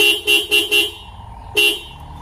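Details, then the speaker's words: Toyota Kijang Innova horn working again after replacing broken spiral cable (clock spring) that also lit the airbag light: four short toots then a fifth, loud and clear at steady pitch. "Nah, lihat. Klakson sudah menyala."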